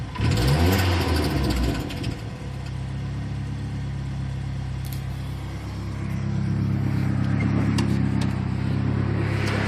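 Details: Turbo Ford Ranger: a loud engine rev settles back to a lumpy idle with uneven low pulsing; unidentified noise, cause not clear.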